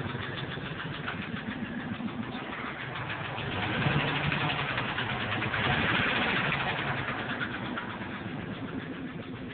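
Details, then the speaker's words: 1997 Ford F-150 XLT five-speed, 124,000 miles, revved twice: a loud knock, loudest on the passenger side, quickens as revs rise; it began suddenly and persists after a full tune-up, though the truck drives and idles well. "and every time I accelerate the sounds get just as fast gets faster"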